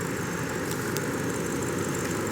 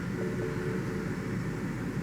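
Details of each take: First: 2005 BMW 645Ci 4.4-litre V8, cylinder 6 misfire returning above 2,000 rpm despite new plugs and coils; power-braked in drive under load, rough uneven beat beneath steady drone; misfire called as a failing ignition coil. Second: 2005 BMW 645Ci 4.4 L V8, idling in reverse after reseating the cylinder 6 coil connector (misfire above 2,000 rpm after new plugs and coils): steady, even low drone with no stumble; smooth normal idle, misfire fixed.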